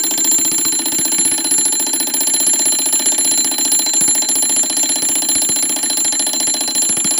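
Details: Seth Thomas automatic 8-day long alarm clock, model 89 movement, alarm going off before being silenced by the lever: rapid even bell ringing at steady rate, no faltering; normal alarm bell ringing.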